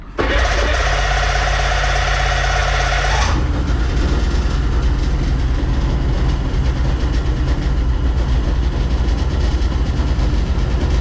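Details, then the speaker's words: Bombardier Sea-Doo Sportster 1800 jet boat, twin Rotax 717 two-stroke engines, on land after sitting 18+ months in a barn (compression about 140–150 psi): brief cranking, then catches and runs loud and steady with a crisp two-stroke buzz; both engines running normally. "so yeah so for a Willet would run yes both engines are now running"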